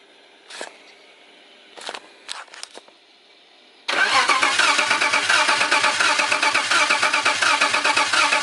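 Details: BMW E90 with a turbocharged M52 swap and BorgWarner twin-scroll turbo, first fire attempt, a few clicks then steady cranking that never catches; crank no start, spark being checked.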